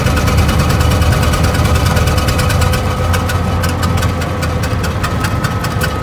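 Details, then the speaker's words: 1920 Ford Model T barn find, sat about 10 years, first start while adjusting timing, one cylinder low on compression: lumpy, loping idle with irregular chuff about twice a second, running on one or two cylinders from stuck valves. "it's really only running on one or two so it sounds like one sounds like the the 199 brush having a little issues here see what we can come up with but it's definitely not running good"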